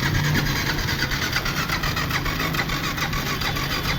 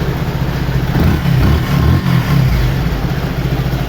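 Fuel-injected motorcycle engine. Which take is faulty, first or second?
first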